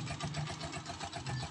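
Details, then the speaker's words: Honda TMX 125 Alpha single idling cold in the early morning, no choke: even putter about ten beats a second, no misses or rattles; carburetor air-fuel screw and idle well tuned, a healthy idle. "Maganda yung timpla ng t tonohan niyo dito sa karburador ito maganda yung pagkatono niyo dito sa air and fuel screw niya"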